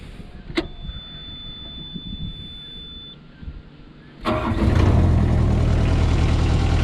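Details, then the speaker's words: Caterpillar 305 CR mini excavator diesel with 3,600 hours, bought at auction, cold start: catches almost at once and settles to a steady even idle with no misses; a little smoke but not barreling out; healthy start. "A little bit of smoke on a cold start, but it's not like it's barreling smoke out of there."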